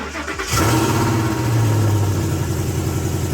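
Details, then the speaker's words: Gen1 Ford Raptor, 10 years old, 64,000 miles, after replacing bad spark plugs and rear coil pack that caused popping: engine catches after a short crank and settles into a steady, even idle, no popping or ticking left. "is the thing gone is this is the noise gone good I me so you don't hear the popping S I don't hear popping I don't hear popping"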